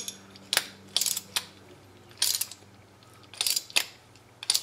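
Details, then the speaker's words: Restored Sturmey Archer 3-speed hub, reassembled and a little tight, spun by hand with the shaft held. Crisp, even bursts of pawl ticking show the pawls engaging cleanly. "so this one has to click and then when you hold your shaft this will click - you can hear it inside there"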